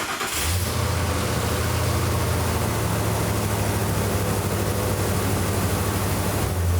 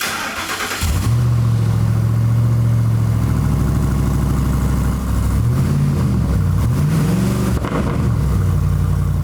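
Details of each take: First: 2004–2008 Ford F-150 5.4L after fitting a new aftermarket muffler and exhaust system, cold startup then idle: starts quickly and settles into a steady, deep, even idle with no blowing or rattling; sounds stock, normal idle. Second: 2004-2008 Ford F-150 5.4L with open cats and no muffler during exhaust replacement: engine catches into a very loud deep rumble, rising and falling on blips; no muffler fitted.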